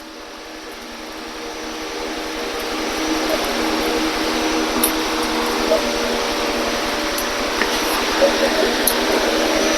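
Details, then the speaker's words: 1973 Honda CL350 motorcycle being cranked: the starter whirs while a rapid, even clatter comes from the starter clutch behind the side cover on the flywheel. Starter clutch rattle. "that's exactly what a starter clutch does and it's located behind this side cover on the flywheel and it'll make a noise like this"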